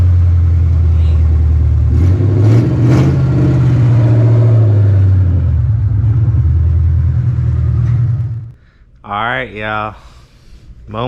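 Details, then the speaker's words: 4.6 V8, run on long tube headers with no exhaust: loud, deep rumble rising and falling smoothly with each throttle blip, no knocks or misses; healthy normal revving. "about to start her up with no exhaust just long tubes you know we all want to hear that let's see what she sounds like it's gonna be loud yeah it's a 4.6"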